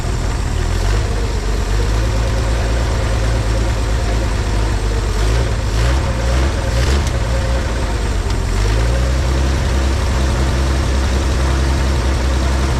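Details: 1950 Chevrolet Styleline parked 7-9 years, running on a separate fuel tank, radiator water unknown: deep, steady low rumble settling into an even idle with no knocks or misses; normal idle.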